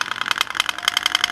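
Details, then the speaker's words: Ceiling fan with bearings replaced, capacitor and coil OK, mic on fan: fast, even buzzing chatter with harsh high edge only when supply is on, silent when spun by hand; loose rotor electromagnetic vibration. "जब हम supply देते हैं दोस्तों उसी time आवाज करता है और जब सप्लाई हम नहीं देते हैं उस टाइम आवाज नहीं करते। देख लीजिए हम सप्लाई दिए आवाज कर रहा है। जब हम जब हमारा फैन पे मैगनेट बनता है तभी आवाज करता है दोस्तों हमारा फैन।"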